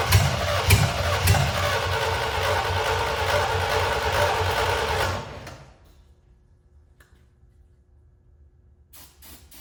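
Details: C65 dump truck sitting about 10 years, first start of its replacement engine after the carburetor was fitted. It runs lumpy with irregular surges for about five seconds, then dies; owner suspects oil in the cylinders from storage. Rough running, needs a tune-up.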